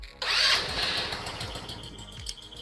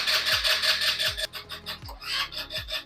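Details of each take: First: Scooter after stator replacement, with the loose stator butt-connector lead reconnected after earlier long cranking with no start: brief starter whir, engine catches immediately and settles into quick, even idle; disconnected wire was the issue. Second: Scooter after stator replacement, key on and start pressed: fast rhythmic cranking chug near three beats a second that never catches, then stops; no spark because the new stator's butt-connector lead was disconnected.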